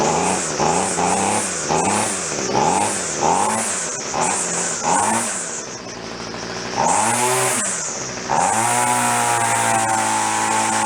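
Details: Free roadside two-stroke string trimmer started on full choke after priming: sharp rising and falling rev blips, then a clean, steady high-pitched buzz that holds evenly. It is running properly.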